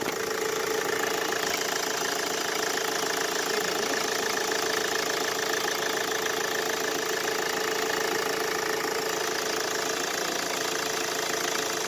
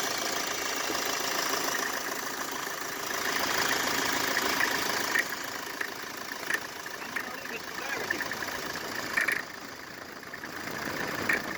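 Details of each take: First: Mercedes Vito W639 OM646 diesel after fitting a shorter belt routed past the AC compressor pulley to bypass its noisy mount: steady even idle clatter, no squeal or knock from the belt side; noise gone. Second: Mercedes Vito W639 with OM646 diesel at cold idle: fast, uneven metallic chatter over the clatter, squeal and knock when cold; stethoscope traces it to the air-con compressor clutch/mounting, temporarily bypassed by a shorter belt skipping the AC pulley.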